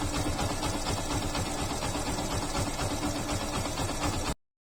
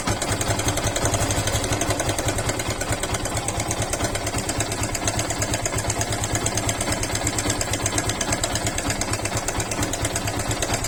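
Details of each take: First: Yamaha FZ/Fazer motorcycle engine idling steadily with an even, quick putter and no rattle or ticking, after timing chain tensioner replacement fixed the timing chain noise; normal idle. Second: Yamaha FZ/Fazer single-cylinder motorcycle idling with a busy, sewing-machine-like ticking rattle from a slack timing chain, fixed by replacing the timing chain tensioner.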